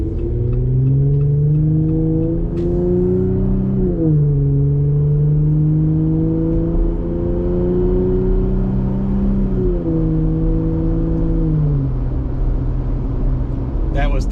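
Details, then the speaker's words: Jeep Gladiator JT 3.6L V6 with AWE Trail Edition exhaust, heard in the cab cruising in a high gear around fifth: smooth, even note rising and dipping with road speed, no booming drone; normal exhaust cruise, no drone. "oxious there's no drone at all um and uh the sound on the gladiator here is actually even less inside the cab than on the wrangler"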